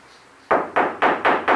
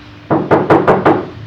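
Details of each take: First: Fiat 147 under restoration, knocking on the roof sheet metal with sound-deadening plates resting on it: five dull knocks, about four a second, die away quickly without ringing, so the roof panel is well damped. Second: Fiat 147 under restoration, bare floor sheet metal before sound-deadening plates are fitted: five quick hand knocks, about five a second, each ringing hollow and lingering, showing undamped floor panel drumming.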